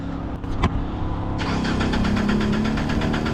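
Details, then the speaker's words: 2014 Jeep Compass, sat for months, crank no start: the starter turns over steadily at about three pulses a second but it never fires. Fuse 32, fed after the ASD relay, gets no power while cranking; relay input to be checked next. "and we got nothing okay what we got to do we have to find the input to the relay"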